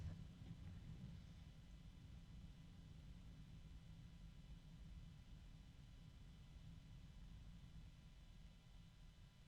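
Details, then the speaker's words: Yeston x Zeaginal ZC-12025 120 mm ARGB PWM fan running alongside a Noctua A12x25. Quiet steady low whoosh and hum, no ticking, rattle or grinding; Yeston slightly quieter, Noctua adds a high-pitched top noise; normal fan running. "They seem to be fairly similar in terms of the noise. Although I would say that the Yeston Zeaginal is a little bit quieter, and it doesn't have that top noise that the Noctua has."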